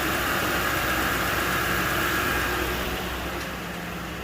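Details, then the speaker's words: Lincoln Town Car V8 after replacing the coil pack on cylinder 6 to cure a misfire, codes not yet cleared: steady, even idle with a smooth low hum, no stumbles or skips; running cleanly on all cylinders; normal idle. "sounds good nice and smooth"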